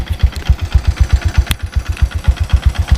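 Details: 2012 Yamaha Byson single-cylinder after a 10,500 km tour, kick-started because the battery was flat: idle with about four thumps a second and a dry metallic clatter. The noise is the same as when it first appeared, slightly noisier, with open-filter sound.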